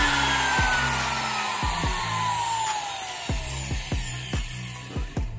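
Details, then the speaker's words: Electric wood trimmer (router), before repair: motor whine drops away as it coasts down, then returns in short irregular jerks about twice a second; intermittently cuts out and stutters when switched on. "permasalahan trimmer ini adalah ketika dinyalakan itu kadang mati Kadang hidup tiba-tiba mati kadang tiba-tiba nyendat-nyendat"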